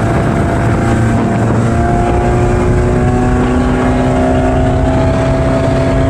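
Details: Bayliner Bowrider 175 MerCruiser on lake after new ignition control module fixed timing retard causing pinging: strong steady engine drone with smoothly rising tones under wind, no rattle or pinging on acceleration; runs clean.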